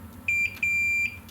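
Two clean high-pitched beeps, a short one then a longer one, showing solid continuity on the ground connection.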